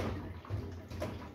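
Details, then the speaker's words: Kenmore washer with a sloppy drum, suspected worn tension springs causing violent spin vibration: water sloshes as the loose drum is rocked by hand. Water is left in the tub for an unknown reason, since the drain cycle seems to work. "I don't know why sounds like there's a little bit of water still left in here, but we're at least going to get the springs replaced."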